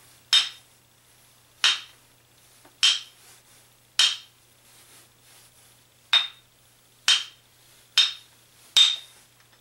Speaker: if you notice the difference between the two that is not a high pitch string that's a a doll thud